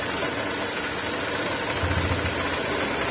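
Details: Honda Vario 150 scooter with a growling rear wheel, after the rear wheel bearing repair. Steady, even running with a smooth low hum and only slight, normal noise; no growl from the rear wheel.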